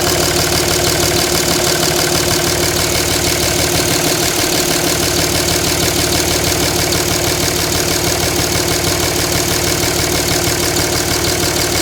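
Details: 2007 Dodge Ram 5.9 Cummins, rough idle for about a month: uneven lumpy beat about three pulses a second with shaky note; intermittent fuel rail pressure sensor, MAP sensor and overboost codes, owner wonders about blow-by; cause not pinned down.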